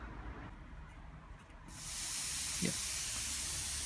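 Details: Airproducts Integra oxygen cylinder with built-in regulator, valve opened and regulator knob screwed in clockwise toward about 2.5–4 psi for welding: quiet, then a sudden hiss that swells and holds steady; normal gas flow.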